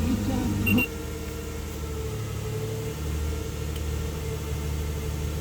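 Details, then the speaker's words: 2008 Nissan Xterra idling low and slightly uneven, shaking, with service light on and code P0301 cylinder 1 misfire, recorded after swapping coil packs; spark plugs to be checked next. "yeah, she's shaking. And the engine service light is on as well. So there's something a little amiss with it."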